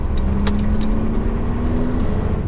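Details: Truck driving after a driveline carrier bearing install: a steady, fairly low squeal over road rumble, like a dry bearing or a belt. The new bearing is sealed; the owner suspects its dust cover is spinning and rubbing. Not confirmed.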